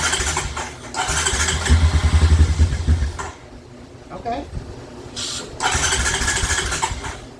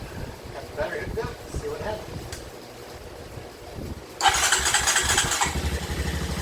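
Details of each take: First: 2007 Honda Recon ATV left abandoned in a field. An uneven chugging crank catches briefly and dies, followed by weak attempts; it is trying to run, but the carburetor is seized and starving it of fuel. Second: 2007 Honda Recon ATV, wrecked and left sitting 8–10 years, first start with nothing touched: a sharp burst as it fires, then an even single-cylinder idle with no stumbling and no visible smoke. Runs normally.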